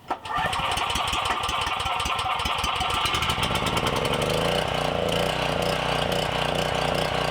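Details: Briggs & Stratton emergency generator that sat over six years, after a replacement carburetor, custom air filter and tune-up: pull-start catches within seconds and settles into a smooth, even governed run with no knocking; normal running.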